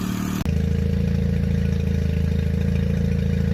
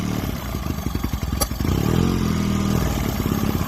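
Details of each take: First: 2002 Mercury 9.9 hp four-stroke Sailpower outboard, carb cleaned and idle and mixture readjusted; it normally idles fine but dies when throttled from idle: steady, even idle with a smooth low beat, no misses or surging. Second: 2002 Mercury 9.9 hp four-stroke Sailpower outboard, carburetor repeatedly fouled by sediment; after cleaning and adjusting idle and mixture screws, idle surges and sags unevenly, pitch wandering every second or two; owner still adjusting mixture.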